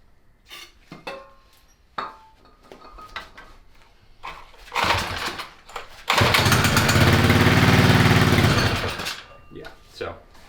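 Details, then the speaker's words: 1970 Fox Condor mini bike, Tecumseh HS40 after 20+ years sitting: a few seconds of rapid chugging that never catches and dies. Something seems clogged in the carburetor and it isn't taking fuel, so the carburetor is being pulled. "it's not taking fuel so let's pull this carburetor and keep our fingers crossed"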